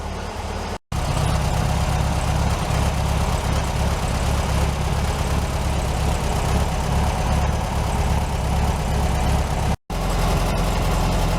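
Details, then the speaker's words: 1967 VW Beetle air-cooled flat-four after a new cap, rotor and plug wires, warmed up: steady, even low chug with a smooth unbroken rhythm; normal idle, carburetor base slightly loose. "we're going to let Ruby warm up a little bit and check her idol all right I'm pretty sure you guys can hear that I think we got Ruby pretty well dialed"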